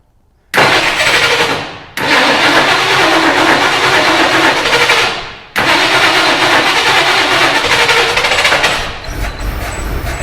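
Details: 1975 Ford Ranchero GT V8 with hard starting and a broken choke; unplugged manifold vacuum port makes it catch, sag and die twice, then run rough with a hissy whine from the open port; vacuum leak causing stumbling.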